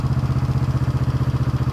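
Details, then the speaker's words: 1971 Honda CB350 twin, after the idle screw was put back in: steady even idle thumping, still higher than wanted; high idle speed. "still up a little higher than what I'd like."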